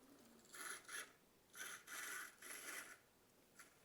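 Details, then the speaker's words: Vintage Tyco Chattanooga 0-8-0 model locomotive, in bad shape and under repair, wheels flipped back so pickup is from both rails, drawbar still missing: faint raspy buzz in short on-off bursts as the motor cuts in and out; intermittent running. "let's try four words and hear it turning over I lost it whoops oh we're in for a second there of course it still doesn't have that little drawbar so it's not it's not perfect but"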